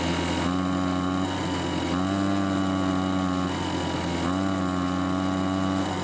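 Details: Homelite two-stroke leaf blower that ran before winter storage, stored months with gas left in the tank: after warm-up it surges and sags and won't rev to full speed; old gas suspected.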